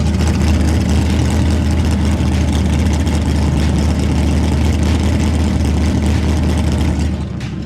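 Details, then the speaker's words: 1989 Mustang GT V8 idling after a new fuel tank and fuel system were installed, with the exhaust cut just behind the driver door; a deep, steady, loud rumble with an even beat and no misses or knocks. "this thing sounds just amazing"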